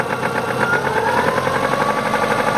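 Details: 1999 Subaru Legacy EJ22 with 150k miles at idle: steady, rapid, evenly spaced hard metallic knock deep in the engine. Began as suspected piston slap and worsened 20 miles after a timing belt change that didn't help; rod knock suspected.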